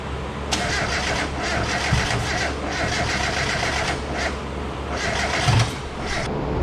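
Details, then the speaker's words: Car back together, first startup attempt with coil plugs switched onto the wrong coils: cranking catches into an uneven, stumbling run that won't settle to idle; misfire from swapped coil plugs, later fixed. "The first one didn't work out so well. We fixed the issue though. We had the coil plug switched."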